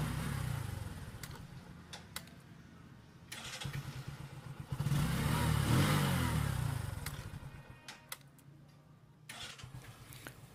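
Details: New Bajaj CT125 single-cylinder bike that stalled on the road and would not start, running normally again after being held at high rpm to burn off carbon: steady low thump with one brief rev.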